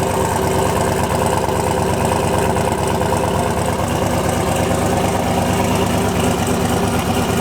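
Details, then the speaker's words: Turbo LS-swapped Mustang, first run with fresh spark plugs: loud lumpy idle with fast uneven puffing tick; turbo exhaust leak remains from a missing gasket on one side and an ill-fitting V-band clamp on the other. "There's still a bit of a leak there because there's a gasket missing in one, and the V-band doesn't fit perfect on the other one."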